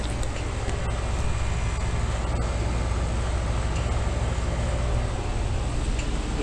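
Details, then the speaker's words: 2008 Bryant Legacy Line 2.5-ton condenser in cooling mode on an 89-degree day: steady, smooth low fan and compressor hum with no rattles or squeals, running normally. "now as you go if you guys do not know it's from 2008 and it's a two and a half time nice and cold and sweaty"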